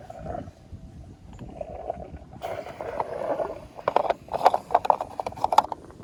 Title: toyota echo gas tank gurgling noise